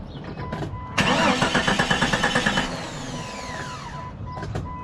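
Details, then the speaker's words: 1998 Jeep Cherokee XJ needs cranking twice to start; starter churns about ten even pulses over a second without catching cleanly, long crank traced to a faulty fuel sending unit; injectors not stuck, fuel rail pressure checked. "the problem that it's having is that you have to crank it twice for it to turn on"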